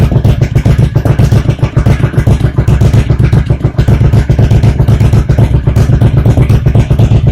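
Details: 1985 Honda VT1100 Shadow after its CDI boxes were swapped for VF700/V45 Magna units, now waste spark, with the front pulser replaced and tach wire rewired, still a little cold: a loud, steady V-twin idle thumping evenly. It runs great.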